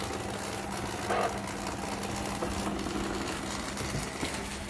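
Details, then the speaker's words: Shark Ion RV850 robot vacuum on rug: rough gritty grinding and clicking under steady motor hum; owner suspects main brush drive gear slipping, possibly belt or main brush motor. "now you can hear their grinding and clicking going on clicking might just be something stuck but when it's on the rug it's definitely more of a grinding like the year is slipping"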